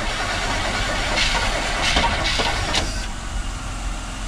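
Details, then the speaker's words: 1977 Chevrolet C10, small-block V8 being started after sitting possibly many years, choke in use: starter churns the engine at an uneven labouring rhythm for seconds without catching; cranks but won't fire. "that's the best they could do it's being tricky to start guys"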